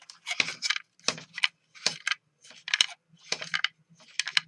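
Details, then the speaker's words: John Deere D155 mower throttle control removed for slipping throttle: sharp clicky rattle bursts as the part is shaken; something loose inside, suspected, not confirmed. "that rattling around in there? So I'm guessing something's loose."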